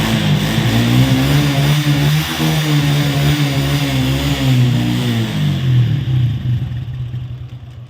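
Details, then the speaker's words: Honda Wave 110i (2017–2018, K03 cylinder), loud aftermarket exhaust, owner ran oil dry: loud rough running with harsh mechanical clatter over exhaust, white smoke, then shut off — piston seized from oil starvation. "วออกท่อนะครับเพราะว่าเจ้าของรถขับน้ำมันเครื่องแห้งแล้วลูกสูบติดนะครับ"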